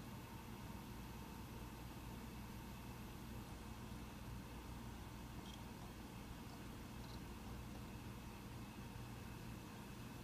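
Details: Mac Pro 1,1/2,1 with 32GB RAM running a benchmark: faint, steady, even fan hiss at low level, no rattle, only a slight ramp late in the run, still quite quiet; normal fan noise under load.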